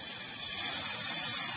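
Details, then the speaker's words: Fuel injector rail and pressure regulator from a 1999 Nissan Maxima 3.0 on a bench test at 34 psi with vacuum applied: steady high hiss of fuel flowing through the return, no sputter. The regulator is bypassing normally. "so now if i uh i'm at 34 psi and you can hear it just flowing right"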